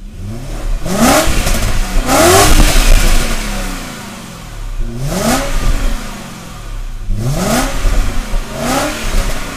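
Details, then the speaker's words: BMW 535ia after engine swap and gearbox refill, road test with silencer refitted: engine revs up and down smoothly through the gears, clean pulls without stumble or misfire, stable idle; gearbox faultless. "ralentis et d'une stabilité absolument parfait tel moteur fonctionne sans hésitation avec les performances qu'on est en droit de temps la boîte est également irréprochable"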